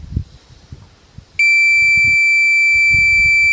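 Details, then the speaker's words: Minelab Pro-Find 40 pinpointer, 9-volt battery, left switched on and unused on the ground for about three minutes: a piercing high beep sounds, not continuous but repeating, presumably until the battery depletes; the lost-unit alarm. "this is what you would hear in the wild if you lost it with it on okay and you left it laying on the ground"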